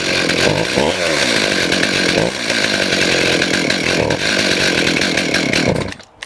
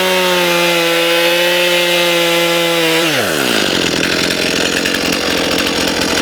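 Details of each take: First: STIHL MS291 chainsaw with adjustable carburetor and limiter restrictors: fires, surges only when throttle is blipped, then sags and dies at idle. Lean mixture causing stalling. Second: Stihl MS291 chainsaw after carburetor adjustment for lean running, poor idle and stalling (screws about 1.5 turns out): clean high revs dropping smoothly as the chain cuts wood; idles on its own, responsive, running normally.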